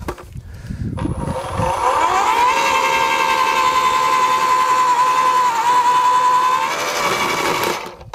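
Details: AEG (Ridgid) 2×18V post hole borer with double-spiral auger, blades just cleared of matted grass: motor spins up to a steady, even whine without bogging; the auger cuts freely and runs normally.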